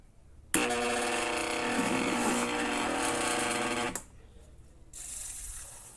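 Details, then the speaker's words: Mondial fan with a heavy 50 cm blade: a loud, harsh grinding rattle while running from a worn motor bushing, which was then replaced. "só que ela faz um barulho muito feio como se tivesse em conta escutou para vocês verem"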